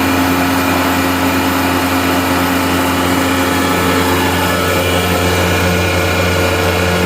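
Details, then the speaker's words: Gardner Denver Electra Screw rotary screw compressor (EBE99K), 24,873 hours, freshly serviced with new fluids and filters, at start-up in 57° ambient; hums right to life with steady even motor tone, no knocks, rattles or squeals; normal running. "We're going to fire the unit up for you now. See, the unit hums right to life. No irregular noises."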